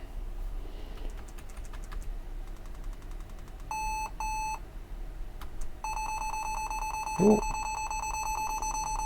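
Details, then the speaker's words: Lenovo ThinkPad T440 at power-on with liquid-damaged keyboard, Escape key stuck down: short paired high beeps then a fast continuous string of beeps, the stuck-key warning. "that sounds to me like a stuck key yeah that's a stuck key"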